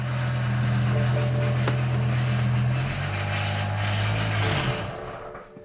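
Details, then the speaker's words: V10 BMW M5 after rod bearing service, moved off the hoist: engine hums evenly then sags and dies as if out of fuel though fuel is present; fuel pump fuse was in the wrong slot, causing fuel-starvation stalling. "That's weird. Almost sounds like it's running out of gas, but there's definitely fuel in it."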